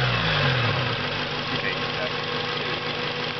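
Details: Acura RSX, hot idle: dull, steady knock about three a second under the engine note; valve clearance already checked and it seemed valvetrain-related in person, but it was a spun rod bearing; fixed with a K24 swap.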